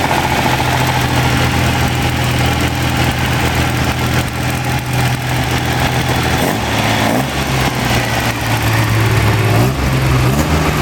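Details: Freshly rebuilt Ferrari Dino 246 GT V6, fully restored and run on a small test stand before final installation, with oil pressure, water temperature and exhaust being checked: smooth, even idle, steady low beat, no knocks, ticks or misses; normal idle.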